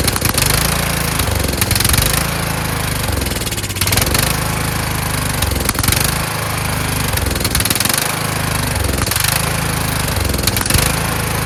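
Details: Kohler Courage engine mounted on a tractor, started on choke: speed hunts up and down about every second and a half. Choke not returning properly; a return spring made it want to stop, and the owner suspects the throttle bracket. Carburetor fault causing surging.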